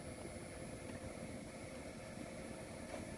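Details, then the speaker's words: 4 kW diesel air heater mounted behind driver's seat in a Sprinter camper van, starting up: steady rush of air with faint high fan whistle, no rattles or scraping; normal blower startup before combustion warms it. "now you can hear the air coming through finally"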